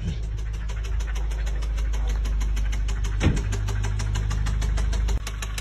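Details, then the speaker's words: VW Golf 7 R-Line idling: quick regular ticking from the cylinder head, possibly hydraulic lifters, sometimes quieting as oil pressure builds, plus an intermittent bottom-end knock, suspected bearing; unconfirmed. "got our first noise and the cylinder head which could be the puppets uh hydraulic lifters um also have another nut in the bottom that one is intermittent"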